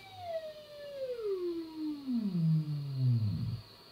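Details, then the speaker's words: Zenith Trans-Oceanic Royal D7000Y radio during restoration AM IF alignment, BFO slug adjusted with control centred; high whistle slides down in pitch to silence at zero beat; BFO beat tone tuned to zero beat. "There we go, that's zero beat. If I go further, it starts picking up again. So I need to make sure I leave it where it's totally silent."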